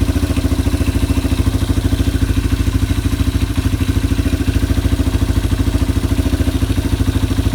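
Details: Yamaha ATV (four-wheeler) idling after carburetor cleaning and float adjustment, new air filter being assembled. Steady, even single-cylinder putter about 200 beats a minute, no misses or hunting: normal idle.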